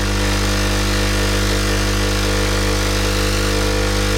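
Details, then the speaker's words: Sage Barista Express pulling a double espresso shot: steady even mains-pitched pump buzz, no sputter or pulsing as pressure builds into the espresso range; normal pump operation. "So looking at the coffee machine, we make sure that we're getting pressure within the range, the espresso range. And it's just going up into it now."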